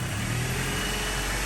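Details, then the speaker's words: 2003 Toyota Tacoma 2.4L 2RZ-FE four-cylinder at idle after valve cover gasket replacement, valve lash adjustment and misfire diagnosis: steady, even rumble, much smoother than before, with a slight stumble left and no misfire codes; still due for a tune-up (plugs look bad). "Oh my God, so much more smoother, dude. It's like not rough like it was earlier. Sounds like new now. It's sounding a lot smoother."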